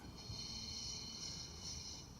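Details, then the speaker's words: Yamaha YG2800i generator engine turned over by hand: a soft, steady, airy hiss leaks up past the exhaust valve stem; the exhaust valve is not seating and the head must come off. "now listen and turning it you gotta listen that valve is not seated it's more of a listening at just exercise guys can you hear it"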